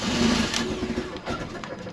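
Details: Fiat 500 TwinAir with a replacement engine that had lost oil pressure. After cranking with the plugs out until the oil light cleared, the plugs and fuel pump relay went back in. Weak, uneven starter chugging for seconds without firing; normal cranking.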